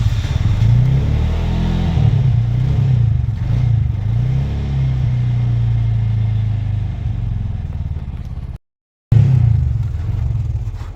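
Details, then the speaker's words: Auto gas engine with starting trouble that won't hold idle; plug adapter replaced, spray applied to wiring fuses. Lumpy, uneven low chug with irregular firing that sags and fades, can't keep steady idle. "ಇನ್ನೊಂದು ಹೋಯ್ತಾ half ಆಗಿಬಿಡ್ತದೆ. ಇನ್ನೊಂದು ಐಡ್ಲಿಂಗಲ್ಲಿ ನಿಲ್ತಾ ಇಲ್ಲ ಗಾಡಿ ಇದು."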